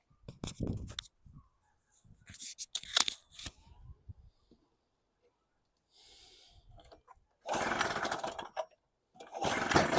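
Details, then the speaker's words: Storm Cat 700W Harbor Freight generator, 63cc two-stroke on 50:1 mix: catches in short bursts that die within a second or two, with silent gaps. Each run gets shorter until it won't start; owner suspects fuel starvation, possibly the float. "It runs for a while, then quits out. Is it the float? If it's getting enough fuel to run for a second or 2 and then quits."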